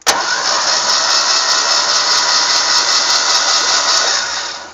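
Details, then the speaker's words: Barn-find 1960 Ford Falcon Ranchero, first crank in a long time with the spark plugs pulled: the starter whirs with an even rise and fall per cylinder and no uneven beats. Compression sounds consistent on all cylinders. "so the compression seems to be really good coming out of these as well so sounded really consistent on all"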